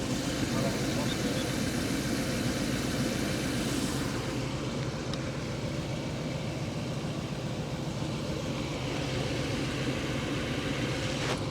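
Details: 1998 Ford Econoline E-350 5.4 V8 after fixing a no-start, fuel delivery, MAF and fuel trim problems and a stuck-open EGR valve: a steady, even idle with a smooth low rumble and no misses; runs healthy.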